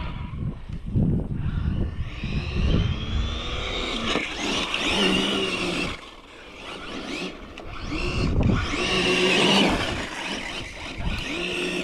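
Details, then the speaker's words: Infraction RC car on 8S with new Hobbywing Max 6 G2 1650kv combo, hard tire-burning runs: motor whine climbs and falls under throttle then sags and thins as power drops; ESC in low-voltage cutoff on drained batteries. "Oh yeah, now she's, see, I think it's in low voltage cutoff. Yeah, it is."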